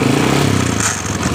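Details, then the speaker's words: Honda Supra Fit motorcycle running, throttle opened: light metallic clatter from the engine's side rising with revs, "kretek" noise; mechanic suspects the starter gear contacting the magneto, to be confirmed on teardown. "itu kita fokus lebih jelas semacam dari gear dari dinamo patirnya yang ketemu dengan magnet seperti itu yang saya Analisis"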